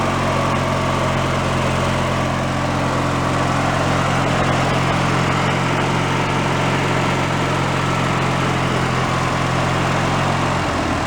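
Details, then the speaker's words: Free old Craftsman hydrostatic riding mower with a single-cylinder engine, given away as non-running, restarted on its own old fuel. It drones steadily at fast speed, then sags and starts dying as revs drop. Owner suspects the dirty carburetor has no idle circuit and starves below a certain rpm; it needs cleaning. "I don't think it has an idle circuit in the carburetor soon as we went down below a certain rpm it starved itself"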